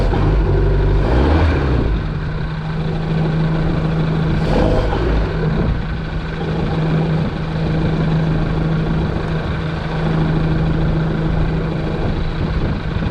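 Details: Bayliner Capri with a Mercruiser Alpha One 3.0L that clicked but would not start (starter relay). The engine catches after a couple of rough bursts, then runs with a steady low drone and even beat.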